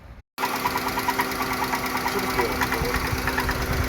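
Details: 2016 Dodge Grand Caravan at idle with a hard, sharp metallic knock about three times per second. Engine knocking, source unconfirmed; the intake and rear valve cover are to be pulled to inspect the camshafts.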